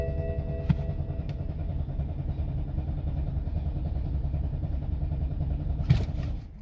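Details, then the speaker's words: 2007 BMW X5 4.8 with fault code 2F44 (EWS preventing manipulation): starter cranks steadily about six seconds but engine never catches; crank no start. "it doesn't want to start i'll do it again"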